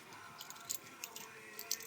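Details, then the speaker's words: 2004 Mercedes C230 Kompressor front driver-side wheel bearing turned by hand: faint uneven gritty ticking and rasp; black overheated grease and metal shavings, outer bearing failed while inner rolls smooth. "you can probably hear it rolling as compared to the inner bearing can't even hear it rolling looks like outter bearing failure"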